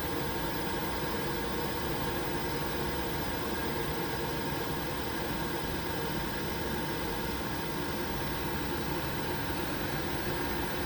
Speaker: Yeah, we have liftoff. Right, excuse the alarm, but I'm managing to purge it down. And we are on minimum still. It's still fired.